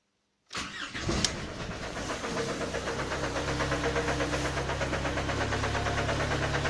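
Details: Skoda Fabia 1.4 AZE: after the oil pump gear came loose and the camshaft sprocket slipped, it catches into an uneven idle with a regular dull knock. The owner asks whether it is pistons or bent valves.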